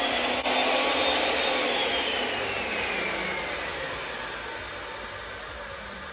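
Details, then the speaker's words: Makita 2012 12-inch lunchbox planer with freshly changed sharp knives: smooth, even hiss of a clean cut fading as the board feeds through, sharp scoop-scoop with no smacking; normal planing. "What we're actually hearing and seeing is more of like chunk, chunk, chunk, chunk, where it's a very sharp scoop, scoop, scoop of wood"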